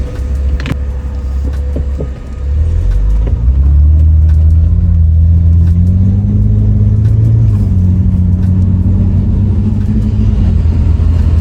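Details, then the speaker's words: BMW E90 328i, N52 inline-six, 335i-style dual-tip exhaust with new MagnaFlow performance muffler, heard on the road: smooth note climbing with speed, deep but without the former cabin drone at 2,000–2,500 rpm; drone significantly reduced, healthy. "Yeah, okay, this sounds a lot better already. The drone has gone down significantly. Yeah, the drone definitely is a lot quieter."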